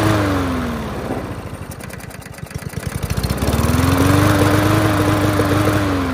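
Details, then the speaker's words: Yard Machines MTD push mower, air box off, hand over intake; speed sags into rapid stuttering pops then surges back unevenly; cause: loose rattling spark plug wire barely contacting, intermittent spark, fixed by reseating it. "that fixed it for sure just a loose rattling spark plug wire causing intermittent spark and that solved it"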